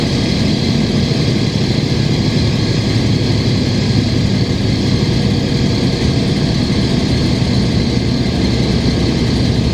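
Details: 2005 Gillig Phantom 35' bus, Cummins ISL diesel with Voith D864.3E, recorded riding aboard: loud chuggy rumble with rough low puffing from an exhaust leak, under a steady HVAC ventilation hiss.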